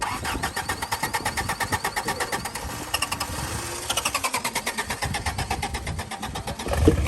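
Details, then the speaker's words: Flooded Jeep after water cleaned out of the distributor: slow rhythmic cranking, about three turns a second, labouring for seconds before catching; hard starting after water in distributor. "all right so clearly there was water in the distributor so we just cleaned that all out"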